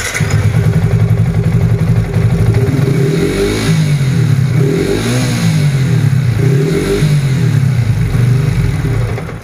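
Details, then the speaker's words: Modified Yamaha FZ150i, 63mm Espada block, after first rebuild: loud single-cylinder revving with a hollow puffing edge from compression escaping at a stripped, previously repaired head thread; block found cracked, head replaced. "Head tu sebabkan trip tadi tu, sebabkan benang tu kan. Dia punya, bila dah mula-mula dia buat Syafiq adjust balik dia punya thread tu. Tapi bila dah pasang enjin, bila start enjin, dia dah keluar angin kan."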